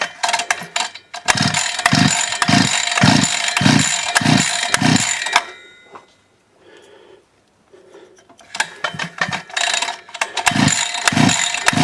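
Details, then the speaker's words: DWT BFS 4342 42.7 cc two-stroke brushcutter after new crankshaft, bearings, seals and carburettor: repeated quick pull-cord rasps with the throttle, not catching at first, then it finally starts. "с ручкой Газа не хочет Так мы пробуем еще раз ну наконец-то"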